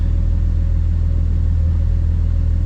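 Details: BMW N54 single-turbo with misfire issues, just off cold start at idle: deep, smooth, steady idle rumble with no stumbles; live per-cylinder values show no cylinder standing out, all firing evenly.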